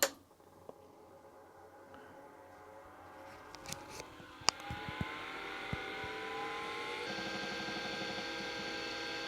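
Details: Atari MEGAFILE 30 hard disk connected to an Atari 1040 ST, unknown condition: quiet whir climbing steadily in pitch over several seconds then settling to an even hum; normal hard drive spin-up.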